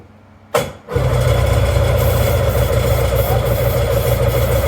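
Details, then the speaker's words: Old jet ski that sat for years, cranked: engine catches for about half a second with a rough low rumble, then dies; cause not confirmed. "get fired for like a half a second that's good"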